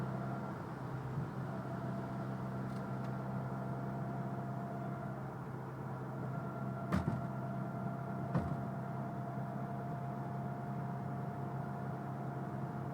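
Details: Mitsubishi Evo X: steady whine from the front end, transmission or transfer case suspected. Only whines under load, loudest on light load around 45 mph, holding a fairly constant pitch over road and engine drone. Cause unconfirmed.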